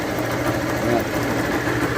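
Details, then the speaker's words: Motorcycle single idling: dull, uneven rumbling clatter under the exhaust note, diagnosed without opening the engine as a failed clutch bearing; it oscillates when the clutch cable is pulled and when shifting. "ela tá com barulho no rolamento de embreagem estourou como que faz para saber sem abrir o motor galera é muito fácil"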